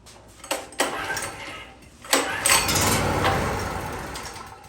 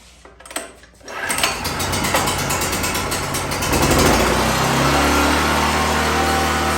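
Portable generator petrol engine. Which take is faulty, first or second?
first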